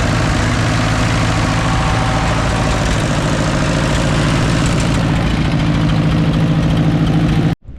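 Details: 1944 Ford 2N tractor, just restarted after carburetor cleaning: loud steady low idle with a light fast tick at about three per second; ticking or tapping noise, cause not confirmed, carb leaking onto exhaust.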